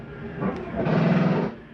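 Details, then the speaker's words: Jayco Eagle 28.5RSTS slide-out fully retracted: motor hum rises into a brief buzzing chatter as the room bottoms out. This is not grinding but the mechanism stopping itself; fine to hear briefly, then release the switch. Normal. "That is not anything grinding. That is the slide mechanism telling itself not to come in any further. It's okay to hear for just a second."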